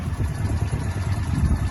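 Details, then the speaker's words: 1981 Honda CX500, laid up 1995–2022, 32,000 miles, overhauled, 39 miles since, before a 30-mile ride: steady even low burble at idle with no knocks, misses or rattles; running spot on. "yeah yeah so as you can hear the bike is running spot on so hopefully shouldn't have any problems whatsoever"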